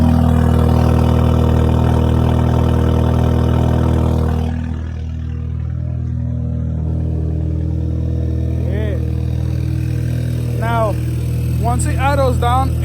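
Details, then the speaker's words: Audi A3 8P 2.0T TFSI after replacing the PCV valve/oil separator: once the revs drop, a steady, even idle with no whistle or hiss. The earlier whistling is gone, though the check engine light is still on. "it sounds that I don't hear the little a little whistling son I used to hear from that anymore"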